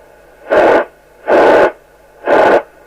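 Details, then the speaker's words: Sapphire X4000 CB27/81 UK FM CB radio on 13.8 V, squelch turned down, through instrument speaker: three loud hiss bursts over steady hiss; squelch previously modified, never properly closes; 80-channel mod removed by dealer. "The squelch never actually properly closes. So that's what it's here for. It's been messed with."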